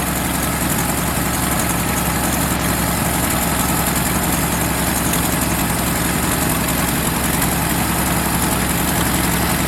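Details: 1977 Ford F350 dually tow truck, long-sitting estate-sale find, running on temporary fuel supply: the old six holds a steady, even low rumble at idle with no knocks or misses, though clogged jets or a bad accelerator pump are suspected for its stumble on acceleration.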